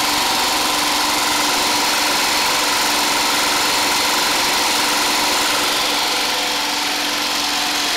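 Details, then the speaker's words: Homemade 12V DC generator charger, small engine driving an alternator (about 80 A in summer, 100+ A in winter), running in a basement; even, unbroken drone with a steady hum, no stumbles or knocks. Normal running. "that alternator outputs about 80 amps during the summer it does 100 or a little bit more amps during the winter because it's colder"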